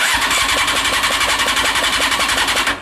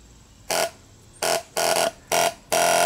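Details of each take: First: CBR600 reverse trike fuel pump back on its original dodgy wiring: slow labouring whir pulsing about five times a second, pump only slowly pumping; weak pump from poor wiring that needs fiddling. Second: CBR600 reverse trike fuel pump wired directly to the battery: five short bursts of sharp, even mid-tone buzz, stopping cleanly; pump works normally, owner concludes the wiring is at fault.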